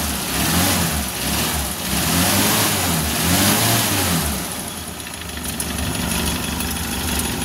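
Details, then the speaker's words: 1994 Suzuki Carry 1.0, after engine teardown for a harsh knocking idle blamed on a worn timing cover bearing: even smooth idle swelling cleanly on throttle blips, no clatter or knock; repair fixed the noise. "sudah halus lur, mesinnya sudah halus, tidak seperti sebelumnya sebelum dibongkar ya lur. Ini sudah jelas banget berbeda."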